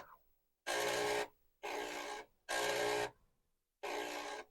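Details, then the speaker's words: Commodore 1571 disk drive being woken up by a repeated read/write track test: harsh buzzing chatter in half-second bursts as the head sweeps back and forth, and the owner suspects it needs lubrication. "noisy so maybe lubrication is necessary now I didn't put a counter in to tell me how many times that this has done it"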